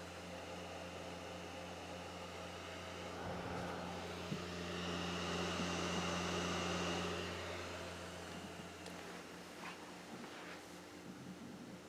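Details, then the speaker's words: Owner's own Xbox Series X as reference, same disc: low steady hum with soft whir swelling as the disc spins up, no grinding or rattle; healthy drive, owner thinks it slightly quieter than the repaired console. "think mine is a little bit quieter"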